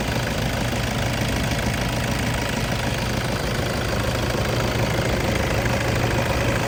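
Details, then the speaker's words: Toyota Hilux Vigo 2.5 E 2010 diesel (2494 cc), 54,000 km, 14 years old, started with all lights and fog lights on: steady, even diesel clatter at idle, no knocks, misses or hunting, no smoke from breather; healthy engine. "ไม่มีคนไม่มีไอครับเกณฑความดันไม่มีอะไรออกมานะครับนี่คือเครื่องดีปกติ"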